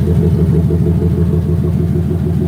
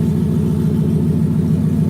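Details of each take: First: Ticking heard at idle from a 2018 turbocharged Mustang GT V8 after a one-wire fix and ghost-cam tune load; deep lumpy idle with brief throttle blip, ticking still present, still needs fuel system and tune. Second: 2018 Mustang GT with new turbo kit on E85, restarted while chasing errors; steady even V8 idle, air-fuel good, not lean, no ticking, no misses or knocks; normal idle.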